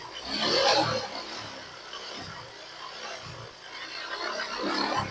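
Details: Honda Click 125i with hard or no starting, after replacing the fuel pump motor (3.2–3.3 bar): starts on first press and idles steadily; mechanic suspects worn rings and a loose engine.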